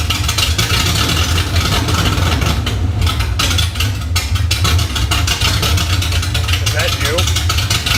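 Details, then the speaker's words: LS1 V8 swapped into a 240SX on open headers, second start attempt after it would not idle before: loud, choppy running with surging dips and a near drop-out. It won't hold idle; the owner hopes very low fuel is the cause. "take two she didn't idle before I'm hoping that it was low and get I mean it was very long gas hoping that was the problem"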